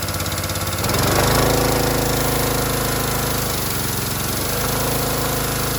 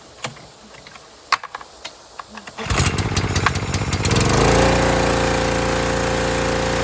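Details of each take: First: Harbor Freight Predator pressure washer, bought as junk, whose unloader had been misassembled, possibly damaging its seat: on trigger squeeze the small engine bogs and recovers in surges as the unloader keeps kicking; unloader cycling, out of adjustment, to be adjusted down at the bolt. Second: Harbor Freight Predator pressure washer after adjusting the unloader set screw with a socket wrench: a few clicks, then the engine starts and settles into a steady, even drone with no hunting or surging; adjustment made a big difference, normal running.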